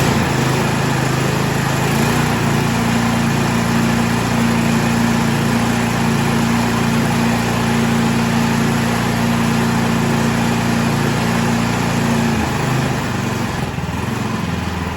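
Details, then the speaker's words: Troy-Bilt Storm 2665 two-stage 26-inch snow thrower (model 31AM6CP3723), unused two seasons, after carburetor rebuild with idle screwed back down: steady, even small-engine idle, constant pitch, no surging or misses, then shut off; idling perfect. "I had the idle screwed back down a little bit I'd rather have no idle than not you know than have a high idle and it's idling perfect now"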